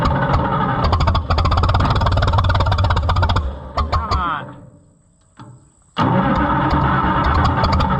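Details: White 2-70 gas tractor, possibly flooded: steady cranking about three turns a second with a few weak catches that fail to pick up; won't start, ignition timing suspected off.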